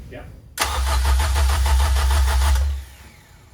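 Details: K24 engine swapped into 1st-gen CRX/3rd-gen Civic, first start attempt, fuel pump on, no IACV: even starter cranking about three and a half beats a second for two seconds, never catches; no spark, coil packs left unplugged.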